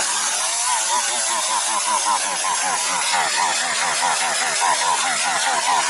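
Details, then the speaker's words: Partner 351 chainsaw that stalled off choke and on throttle, tested after carburettor strip and reassembly, before mixture screws are adjusted. High-pitched two-stroke buzz keeps surging and sagging, never holding steady revs; saw running poorly. "Що? Попробуємо відрегуліруємо карбюратора, бо щось вона не хоче."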